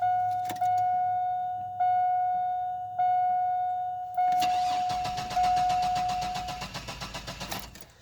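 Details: 2001 Chevrolet S10 Blazer 4x4 4.3 V6 after sitting two years, check-engine light on: door chime, then starter cranks evenly about three seconds without catching; no start from weak spark, corroded distributor cap and burnt rotor, rusty plugs.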